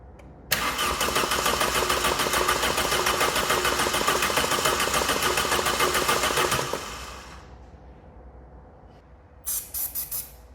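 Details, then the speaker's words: Neglected Vauxhall Calibra being revived after confirmed spark: fires into a fast, rattly run for about six seconds, then fades and stalls; owner assumes fuel pump isn't working and it ran on leftover fuel. "that's got to be running on a little bit of leftover fuel cuz there's no way it would run that long on th"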